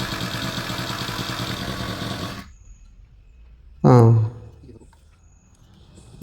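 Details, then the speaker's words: New HTP power sprayer with 4-stroke 35cc petrol engine, started after priming the carburetor bulb and lowering the throttle (would not start with throttle high); quick, even putter for a couple of seconds then shuts off — normal idle. "Throttle ಕಮ್ಮಿನೇ ಇರಬೇಕು. Throttle ಅಂದರೆ ಎಕ್ಸಲೇಟರು."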